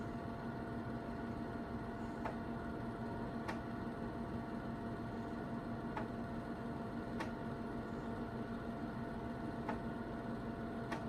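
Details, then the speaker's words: 1984 Kaypro 4 portable computer, unused for nearly 30 years, running a CP/M command: the floppy drive clunks with sharp ticks every one to two seconds over fan hiss. It seems to be struggling mechanically, cause unclear. "Now I can hear the drive clunking away. I don't know if that's a good sign or not."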